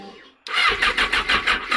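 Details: Yamaha FZ6: starter whirs in quick even pulses, about six a second, engine never catches or fires; crank no-start.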